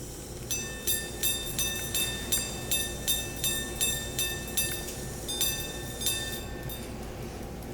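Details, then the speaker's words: 1800s Swiss silver grand sonnerie clock-watch (Bordier, Geneva) with two wire gongs and a cylinder escapement, repeater button pressed: clicking, then clear metallic chimes about two a second ring out cleanly; repeater striking normally. "we'll try the repeater function first there's the button right there we just press that you can kind of hear it clicking in there"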